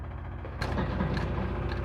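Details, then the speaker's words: 1969 Pontiac GTO after a FiTech fuel injection conversion replacing the carburetor, before first fire: a quiet hum, then a steady buzz at key-on as the electric fuel pump primes normally. "so if i key on gonna hear the pump"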